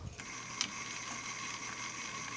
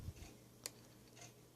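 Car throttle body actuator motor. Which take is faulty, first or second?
second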